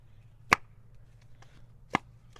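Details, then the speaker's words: Shelf-spare BMW M52 DISA valve with a replaced O-ring, its flap worked by hand: three crisp, clean snaps about a second apart with no drag; the flap springs back fast and healthily. "That one springs back real fast."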